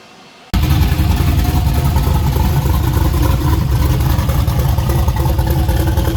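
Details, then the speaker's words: Freshly rebuilt V8 first start on temporary plugs, no tune or timing set yet: fires and catches at once, then runs loud and uneven with a lumpy beat; rough, untuned but alive. "but got to put a tune in it and set the timing and put the radar and all that stuff on then I can put the good plugs in it fired up and then we'll actually hear it but it does live so that's cool"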